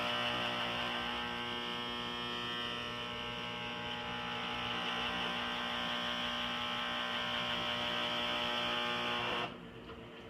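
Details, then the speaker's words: Harman XXV pellet stove: loud steady electric hum and buzz from the auger motor whenever the auger runs, day and night, stopping abruptly; not the commonly reported squeal. "it's not quite the squealing sound that everybody says that's happening it's something going on it sounds like with the auger"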